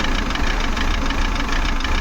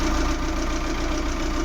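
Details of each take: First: Maruti Suzuki Eeco petrol with company-fitted CNG, check engine light on, code P0108: uneven lumpy idle with stumbling beat and shaky rumble, whole car vibrating, poor pickup; misfire from faulty MAP sensor, later replaced. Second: Maruti Suzuki Eeco petrol with company-fitted CNG after replacing faulty MAP sensor (code P0108): smooth regular idle pulse, no stumble, jerk or shake; earlier vibration gone, manifold fault code moved to history.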